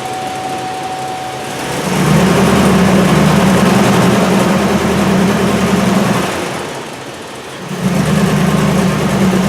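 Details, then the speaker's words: Chevrolet Silverado V8 with code P0300 random misfire, misfiring cylinders on passenger side; engine labours roughly and unevenly through two bursts of load against the brakes: misfire under load. "okay you can hear that it is really a dog something else but I do want to observe"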